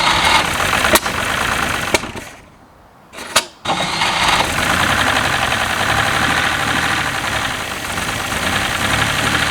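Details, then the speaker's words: 1967 GMC C20 with a 305 V6 that was stuck and sat at least 7 years: catches and runs ragged after a brief stumble, only on sprayed brake cleaner, with no smoke; the carburetor is stuck and unusable. "there you go it runs it's about out of brake clean too"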